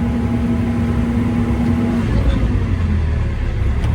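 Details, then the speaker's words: Case CX80 excavator diesel: the drone sags and the whine drops away under hydraulic load and never recovers, getting worse at higher throttle; revs return to normal when the function is released. No apparent cause yet. "I mean, it's like you're just really really bogging down that engine. And uh doesn't appear to be any apparent reason for it."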